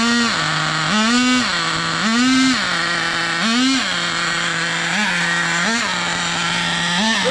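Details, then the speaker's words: Nitro RC car with a small turbo on its first run: the engine blips up and sags sluggishly, bogging on throttle. The owner suspects it is running rich and plans to lean the fuel, and also suspects a burnt-out transmission. "there that sounded a little boggy if I'm not mistaken so let's take a little more fuel out of it"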